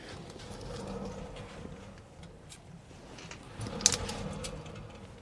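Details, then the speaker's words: Mercedes-Benz S600 V12, rear hub spun by hand with wheel on two lug bolts: dry, rough rumbling growl swelling and fading with the spin, from a noise heard driving over 35 mph; worn rear wheel bearing, shoes fine. "okay we have a bad wheel bearing everything else looks good"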